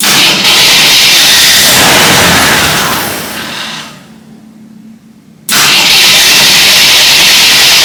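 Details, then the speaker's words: Full-size Jeep first start attempt after replacing the flywheel, electric choke apparently not working; steady fast cranking whir with no grinding, but it doesn't fire; later traced to stuck needle and seat and failed starter solenoid; normal starter cranking. "That flywheel starter, that all sounds much better since I replaced the flywheel."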